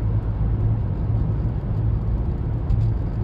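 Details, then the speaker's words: 2015 Chevy Malibu after wheel hub replacement for a howling hub, driven at 60 mph: smooth, steady road rumble with no howl or growl; bearing sounds healthy, fixed. "yeah we got her up to 60. sounds pretty good"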